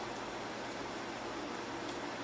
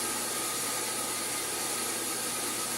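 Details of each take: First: Sun SPARCstation 20 with a replacement fan, bigger and thicker than the original and held with Flex Tape: soft steady airy hiss with no rattle, ticking or bearing growl; much quieter than the old loud fan. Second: Sun SPARCstation 20 running power-on tests: loud steady airy roar with a thin whine on top, no speed change; original cooling fan dying, to be replaced with new fan.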